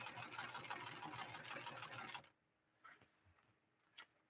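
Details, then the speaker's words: White Model 742 sewing machine stitching at about three stitches per second with a faint scraping catch each pass. A rough spot on the worn needle is rubbing and causing trouble with tri-motion stitches. "I can actually I can actually hear if you listen to the machine very carefully you can actually hear the rough spot on that needle that's causing issues with our Tri motion stitches you can actually hear it rubbing"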